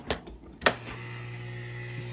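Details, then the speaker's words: Kenmore dishwasher not draining, water left inside: a couple of clunks then steady low electric hum from the drain pump running, but no gurgle of water being pulled out. "you hear that pump? But the water is not sucking out."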